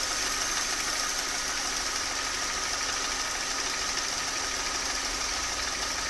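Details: Mercedes M272 (272.967) V6 at warm idle; fast, sharp metallic tapping over a thin hissy background, heard most on the left side of the engine; knock present, cause not determined.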